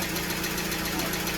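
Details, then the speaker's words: 2015 Ram ProMaster 2.4 MultiAir van, crank no-start from MultiAir hydraulic system losing pressure, after bleeding it with a custom tool: even, steady idle with smooth firing rhythm, no misses or knocks; a plunger may still need replacing. "Bueno, muchachos, ya vamos aquí probando la maleducada. Ya funcionó bien."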